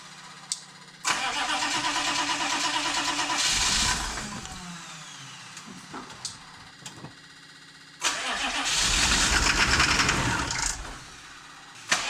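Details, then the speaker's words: 1993 Chevy 2500 6.5 diesel, cranking after DB2 injection pump replacement and bleeding air, batteries getting weak: two long cranks of a few seconds each, steady starter beat without proper catch; long-cranking hard start, later smokes heavily. "Alright, well, it's getting close. We're getting something. I have to throw a charger on these batteries, though. They're getting a little weak now."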